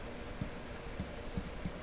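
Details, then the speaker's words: Telefunken Salzburg 5094W console radio: soft irregular low thumps, about five in two seconds, as DC voltage built up at the tape-out connector is shorted out; coupling capacitor leaking DC. "oh that's what's happening i'm shorting it out you see there's a dc voltage building up here which i'm shorting out and you can hear it"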